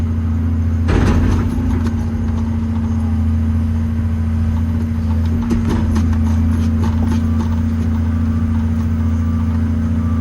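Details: Old 140 digger diesel (10K hours, from an episode about a bad injector) warmed up to temperature, digging under load; deep, even drone, bucket clatter, pulls smoothly, runs like a sewing machine with bags of power. Normal engine running under load.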